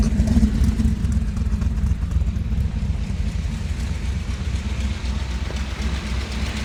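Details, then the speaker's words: 1957 Chevy Bel Air with 454 big block from a motorhome replacing a blown 396, old 396 racing cam, new intake and distributor: deep steady idle about four pulses a second, slightly lopey cam rhythm, no knocks or ticks; normal idle. "Um, now let's uh let's hear it run. See what you guys think."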